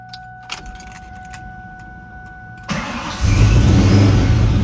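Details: 99-04 Mustang GT/Cobra V8 with ProCharger, started after new serpentine belt and smaller supercharger pulley install, belt tight: brief crank, then catches into a deep, even idle with no squeal or chirp; normal start and idle.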